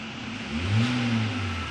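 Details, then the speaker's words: Hyundai Verna petrol engine after all four spark plugs were replaced and cleaning was done for knocking and rpm fluctuation. It revs up smoothly and settles with no knock or surging; problem solved. "थोड़ा गाड़ी का पूरा problem solve हो गया है thank you"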